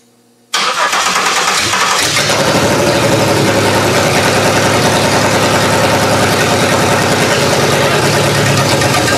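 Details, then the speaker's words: GM 3100 V6 swapped into a Camry, first start-up: fires and settles into a loud, uneven idle with a hissy edge from many vacuum leaks; fuel pumped from an old derby-car tank. "there's quite a bit of vacuum leaks and this is a very bad"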